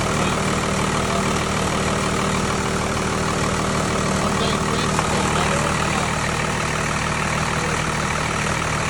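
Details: Tucker Sno-Cat with 5.9 Cummins 12-valve diesel, sat over a month after stalling and would only crank (fuel pickup screen suspected), now started: steady, even clatter with a low drone, no misses or stumbles, settling into a smooth idle; normal idle.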